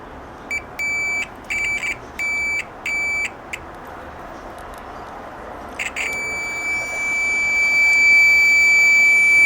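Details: Old multimeter modified long ago with a louder buzzer, on continuity: several short, sharp high beeps, then a steady piercing tone over faint hiss; the continuity buzzer sounds loud and healthy.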